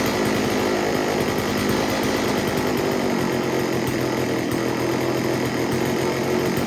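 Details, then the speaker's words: STIHL 024 AV Wood Boss chainsaw, previously flooded with a fuel-wet plug, after starting: steady high buzz at high revs, even and clean, tune nearly spot on and just slightly rich. "i got the saw to start right up and the tune was pretty much spot on it was running just a tad bit a little rich nothing too crazy"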